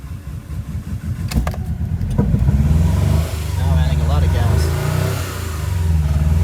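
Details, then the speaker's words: 1999 Honda Prelude, 113k miles, that shuts off when warmed up and floods rich, with a little throttle: catches into an uneven, stumbling idle that bogs and surges; strong fuel smell, distributor or coil suspected; rough running. "i add a little bit of gas it sounds like it kind of wants to start i'm going to do this again"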